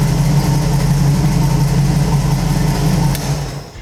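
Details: Carbureted small-block Chevy V8 in So-Cal Speed Shop Roadster after mechanical fuel pump replacement: strong, even low rumble, fires and keeps running smoothly with no misses or knocks; normal idle.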